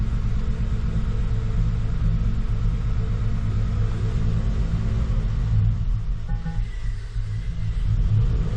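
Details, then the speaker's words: 2014 Ford F-150 with ongoing misfire after OEM Motorcraft coils reinstalled, needed gas to crank: deep steady idle rumble with slightly uneven beat; rough idle misfire, cause unclear. "still not wanting to idle all right well it's idling now my foot's off the gas and it's still idling at the moment but it's definitely got the MF still I can feel it"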